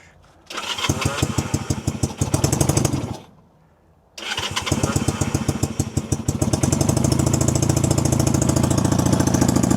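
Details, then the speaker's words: 1965 Honda CB160, 161cc air-cooled parallel-twin with cut-down pipes and a leaking carb float (stuck float or needle and seat suspected): lumpy idle that stalls on throttle, then restarts ragged as if on one cylinder; owner unsure whether too rich or fuel-starved. "See, give it a little gas and it stalls. So, it might be running a little rich if anything or it's not getting enough gas."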